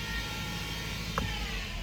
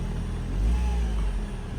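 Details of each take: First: 2013 Ford C-Max hybrid, HF35 transmission, 125,000 miles, in Ready with the gas engine running: a thin buzz-saw whine over engine rumble that rises when pushed, from a failing transmission stator bearing; the transmission showed seal failure and oil slinging. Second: 2013 Ford C-Max hybrid, 125,000 miles, after HF35 transmission replacement for stator bearing whine: low steady drivetrain hum, no whine or bearing noise, no warning lights.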